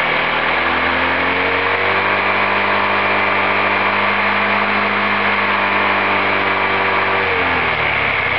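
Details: Roketa MC-54-250B scooter, 1730 miles, stalls at every stop. Single-cylinder revs climb and fall, then idle sags and nearly dies: intake and exhaust valves had no gap at TDC; fixed by adjusting valve clearance.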